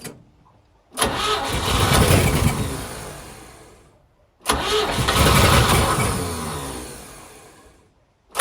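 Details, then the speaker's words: 1963 Chevrolet C10 with 65-year-old Stovebolt straight-six, only cylinders 1, 2 and 6 connected (two dead, third failing) after oil clearing: catches, runs lumpy and uneven, dies, restarts rough; running on three cylinders. "Wow, so even with only 3 cylinders connected, it still runs. That's amazing."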